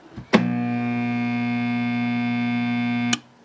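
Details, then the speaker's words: Kenmore dishwasher, old high-use unit with no separate replaceable capacitor: steady loud electrical hum for about three seconds with no spin-up, then cuts out as the motor thermals out; motor won't start reliably; failed dishwasher motor. "Oh, in fact, come to think of it, when we first got here, the door was ajar, and when I shut it, it went to just hum."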